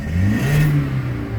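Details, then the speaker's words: Car with rough idle/stall when AC on, misfire counters checked on scanner showing zero: quick rev rising and falling smoothly, even exhaust note, no stumbles or pops; no misfire. "So there is no any misfiring here. If suppose there is a misfiring, for most of you who still stay to this very moment, it's gonna keep counting that shit. But there is no misfiring."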